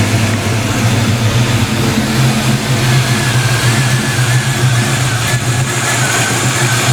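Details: Black Stang (Mustang) first fire after fitting 24 lb injectors and 73 mm mass air meter; idles much better after shimming some rockers; oil on headers from valve cover removal; steady, even low rumble, no misses or knocks: normal idle.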